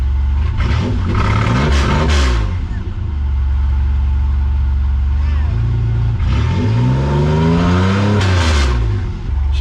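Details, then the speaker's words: Camaro V6 first start after gas tank refit, exhaust ending after the cat/Y-pipe, no muffler: harsh, loud raspy revving up and dropping to rough idle; open exhaust, oil pressure present. "By the way, this has got no exhaust on it. It's just got the uh off the Ypipe."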